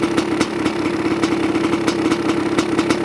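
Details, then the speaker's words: 1985 Honda CR500 two-stroke engine in a 2007 CRF450R frame, just built, choke off, muffler fitted, smoky: idles unevenly with spitting, irregular pops over a steady drone; engine loading up rich. "yeah she's a runner Smokey but a runner there we go little loaded"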